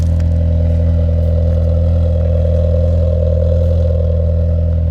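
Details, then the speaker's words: Chevrolet Cobalt at idle after replacing a broken, cracked flex pipe/downpipe: steady, even low rumble, much quieter than before, sound now at the rear, no puffing or ticking up front; repair successful. "I'll do a start up here so you can actually hear the engine and everything working a little bit now compared to before where nothing you couldn't hear anything you can hear yourself think it's a lot quieter and the sound is all back at the back now"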